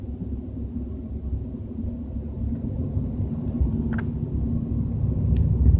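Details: BMW 320i with a low droning rumble at 30–40 km/h, slowly growing louder with no clear rhythm; cause suspected but not confirmed.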